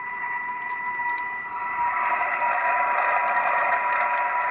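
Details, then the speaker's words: Midland 78-999 CB radio receiver with volume up: constant buzzy whine with raspy hash and crackle, steady; RF interference from a nearby LED light held close to the radio. "That LED light is not too bad for what it is, but certainly, you know, it is a noisy from an RF point of view."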